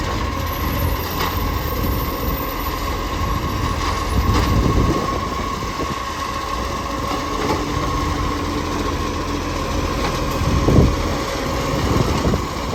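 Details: Mitchell garbage truck 1040, diesel running steadily: irregular ticking puff over the rumble with a faint whistle; exhaust leak.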